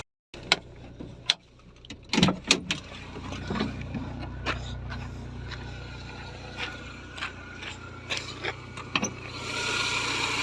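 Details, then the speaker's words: BMW E36 petrol engine idling after replacing accessory-belt parts to cure a loud clack first thought to be the alternator: smooth even idle, only faint power steering pump hum, clack gone, normal. "là on entend bien que le moteur quoi on entend quand même la pompe de DA mais ça c'est normal et sinon c'est nickel"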